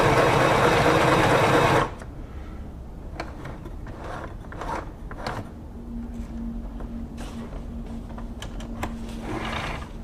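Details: Singer Pixie Plus (rebranded Huafeng) budget sewing machine on test, sewing with fast, even stitching clatter at a steady rhythm, no knocks or catches; operating normally.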